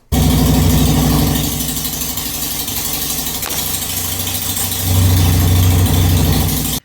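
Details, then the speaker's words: 2001 Harley Sportster 883 V-twin idling while carburetor cleaner is sprayed around the intake; loping idle revs up noticeably as spray reaches it, confirming an intake manifold vacuum leak. "I just started the bike and sprayed around the intake with some carburetor cleaner and listen for it rev up and determine that was what was going on"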